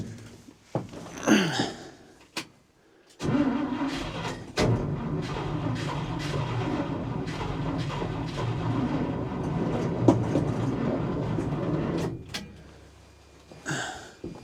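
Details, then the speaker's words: 1968 International Loadstar 1800, 392 big-block gasoline engine, sitting for months, given starting fluid: starter churns about nine seconds with an uneven, tired rhythm and never catches; owner suspects a weak jump box and drained battery. "Huh. That sounds like she wants to run. Not sure why my jump box can't help me a little more than that."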